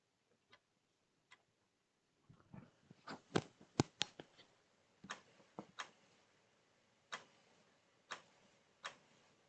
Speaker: anyone hear that clicking so for starters the dead hard drive in this click click click click click